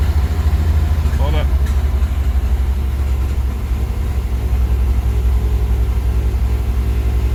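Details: Mazda RX-7 FC S5 rotary cold start after over a decade unused: deep, slightly uneven burble idling a little high at first before settling into normal cold-start idle after a few seconds; rough high idle.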